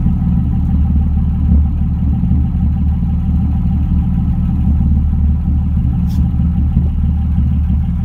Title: M3 not perfect idle sound